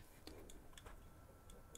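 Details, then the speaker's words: Hard drive number five after a drop from above head height onto outdoor concrete in rain: sharp, regular clicks about four per second over a faint hum, never spinning up properly; click of death, drive dead from drop damage. "a clicking noise. That’s dead. So, that is drive number five, which I dropped from above my head outside onto some concrete, and that died too."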